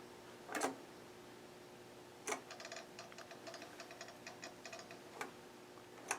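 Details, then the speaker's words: GRC-14 military receiver (2–32 MHz) with gain turned down in FSK mode: sparse sharp clicks a few seconds apart with faint rapid ticking over a quiet hiss; a relay chattering inside the unit, source unclear. "I turned I turned the gain down and you can hear what sounds like a relay clicking in the unit"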